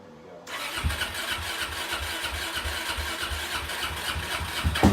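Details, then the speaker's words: Suzuki DRZ400 single just after carburetor cleaning: it catches and settles into a lumpy, uneven idle with irregular thumps, puffing smoke. It is running very rich; flooding is believed to be why it wouldn't run before. "It's puffing out some smoke out the back, but I think it was running really rich. So it was flooding out, that's why it wouldn't run before."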